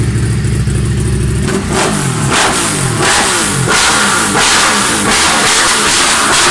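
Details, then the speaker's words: Honda Civic Type R EP3 (2-litre, K&N filter, lowered, very loud aftermarket exhaust), revving: exhaust note stutters and breaks up unevenly as revs climb; misfire under load/acceleration, cause not yet found. "the misfire issue is it's bad when I gotta be honest fair and I want some mechanical sympathy then I wouldn't be keep driving it back home"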